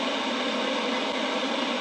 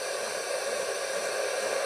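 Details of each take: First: that's an effect i wanted you to hear that is a harmonic of the quench frequency in the vhf band Second: Homebuilt two-valve super-regenerative VHF receiver (120–160 MHz), tuned around 134.750 MHz and heard through a scanner while marking the dial. A steady hiss swells slightly toward the end: the normal rushing sound of the super-regen.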